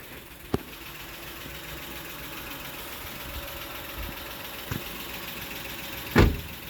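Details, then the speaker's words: 2007 Honda Odyssey 3.5 after replacing worn stabilizer (sway) bar bushings and links that caused a loud suspension noise when turning: wheel turned side to side, quiet steady idle with only faint light clicks, no front-end clunk, steering feels firmer. "Dale para acá. Dale para allá. Cero ruido. Y se siente como Más maciza, ¿no?"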